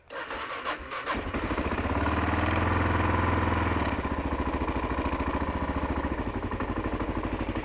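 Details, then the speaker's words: 2001 Kawasaki KLR 650 single-cylinder, cold start on choke; cranks briefly, catches and settles into an even high choke idle about three and a half beats a second; healthy, burns no oil. "and yeah, so this is a cold start. Ooh. Right, choke."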